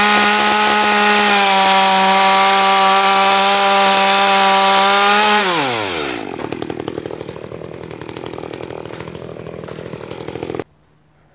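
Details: New Makita EA3200S chainsaw during break-in: high steady wail at full revs, then note sinks smoothly into lower working chatter; running clean.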